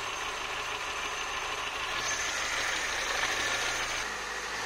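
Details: 1984 Citroën BX after replacing original seized thermostat that caused overheating and coolant spraying: quiet steady idle at temperature under whooshing radiator fan that cuts in, no coolant pool, normal running.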